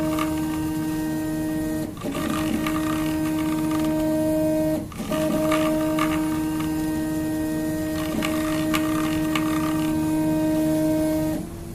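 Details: Prusa i3 MK2 3D printer Y-axis bed carriage moving back and forth after replacing three Y-axis bearings to cure bearing noise; clean, steady motor tone with no grinding or rattle, normal quiet axis motion.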